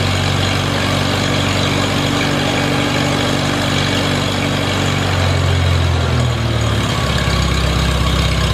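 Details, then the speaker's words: Farmall Super A tractor, cool after sitting, fires after grounds and wires replaced to restore spark: steady low chugging idle about four beats a second, no stumbling; idles fine. "okay I think we had fire I think she's going to run just fine"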